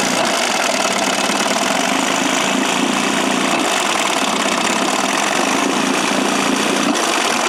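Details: Johnson 9.5 hp two-stroke outboard, roughly 1966–1972 (listed as 1969), after carb kit fixup, choke used, low idle fairly close, unloaded: steady even buzz without knocks or stumbles; a little smoky but runs half-decent.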